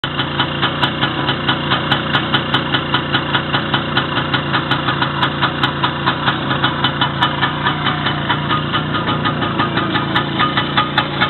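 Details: First start after repair, with the wrist pin bushing and the whole piston group replaced: steady, even beat of about two and a half pulses a second, no knock; engine runs healthy.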